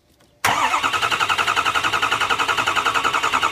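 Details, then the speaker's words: Ford 6.0 Powerstroke diesel, starter jumped to crank without starting: turns over at about three and a half pulses a second with lumpy, uneven beats instead of an even crank; base engine problem with poor compression. "This is the sound of one that has a base engine problem with poor compression. I'll just jump the starter here and we listen to it. Instead of having a nice even crank, we have this."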